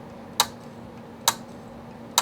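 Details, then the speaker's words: Dropped Acer Aspire 5745 laptop hard drive: sharp, loud clicks about once every 0.9 seconds over a faint hum, the click of death; drive replaced with an SSHD. "is some loud clicking so yeah this is a hard drive from a computer that I'm working on right now Jesus Christ is this thing broken"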